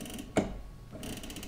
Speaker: i let it retract a little bit more try and pull some out it's not letting me pull out anymore so i know it's locked